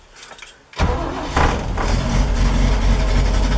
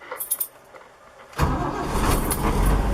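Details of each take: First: 1973 Toyota Land Cruiser FJ40 cold start with manual choke fully out after two pedal pumps: lumpy, sputtering, stumbling idle. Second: 1973 Toyota Land Cruiser FJ40 with dash auxiliary starter cut-off switch turned on: key jingle, then engine catches instantly and settles into a steady even idle with no cranking drag.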